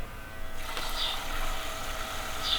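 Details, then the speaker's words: BlackHawk LowBoy III paramotor with Aero 1000 engine, fuel pump running while the fuel line is bled at the nipple: steady even electric buzz with no sputter; earlier air bubbles gone, flow now clean and air-free. "Let's go ahead and turn it on again."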